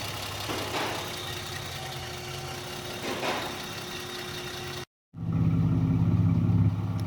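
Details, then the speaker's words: Car after Megasquirt plug-and-play ECU install: steady, low, smooth and quiet idle hum with an even beat and no misses or knocks; normal idle. "is that smooth or what and quiet"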